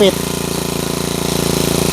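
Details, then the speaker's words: Normal GX35 four-stroke trimmer engine fires almost at once and runs with fast, even pulses that pick up slightly; an easy, healthy start. "ถือว่าเป็นเครื่องที่ปกตินะครับจะต้องสตาร์ทติดง่ายชิลๆแบบนี้นะครับ"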